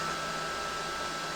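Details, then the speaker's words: EG4 Chargeverter Plus 48V battery charger after about eight minutes charging at 94.8 A (set 100 A), fans at 11,000–11,300 rpm: loud steady rushing whoosh with faint high whistle, about 20 dB louder than at 9,000 rpm; normal high fan speed. "So when it's 11,000 RPM on the fans, it's so loud it's ridiculous."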